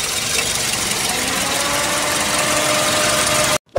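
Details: Toyota ACV30 idling after new Denso spark plugs fixed its stumble at very high revs: smooth, steady idle with an even beat and no misses or stumbles; the engine is running cleanly.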